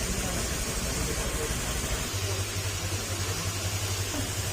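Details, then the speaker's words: Honda Click 125 running after the crankshaft bearing was replaced during an engine-down overhaul: quiet, even hum with no wang-wang drone or growl. The earlier "big bike" noise is gone and the scooter runs smooth. "Ayan, okay na mga sir. Goods na, wala na yung ingay."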